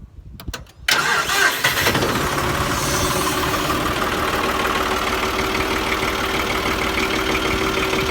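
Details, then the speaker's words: John Deere 5055E tractor diesel started in neutral right after hydraulic filter change: short crank, catches and settles to steady even idle, no knocks or whine, hydraulic lines heard pressurizing; normal startup and idle. "You can actually hear the lines pressurize. So that oil got into that filter pretty quick."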